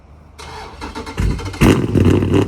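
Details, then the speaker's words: Dodge Charger Scat Pack 392 V8 with cam, new 1050X injectors and Boost-a-Pump, previously running lean: cold start, starter whirr, then a loud, lumpy surging burble that settles and self-regulates at idle; normal. "It is gonna surge on the startup, and then once it gets to like that little idle level, it'll pretty much like regulate itself."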